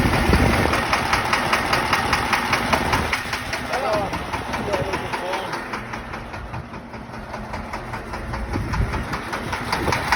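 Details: Diesel idling with a sharp knock repeating about two and a half times a second at a steady beat; a faulty injector is causing the engine knock.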